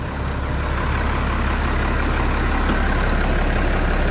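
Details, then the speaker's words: Road grader diesel after starting problem work and accessories installed, evening start, water level alarm briefly on then out, charging 14 volts: deep steady idle, even low rumble, no knocks or misses; normal idle. "sounds sweet oh she just sounds sweet he's like a glass of wine she just keeps getting better with age"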